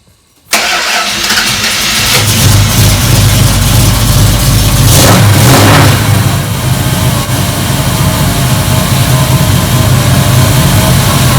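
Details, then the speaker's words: 1973 Dodge Dart Swinger, heard from under the car: the engine fires and settles into idle with a tinny metallic rattle over it. Confirmed as the bell housing dust shield, which has a missing bolt; not serious. "so 100 it's the dust shield so it's nothing to be too concerned about but i'm going to see if i can figure out why it's doing it and get it stopped"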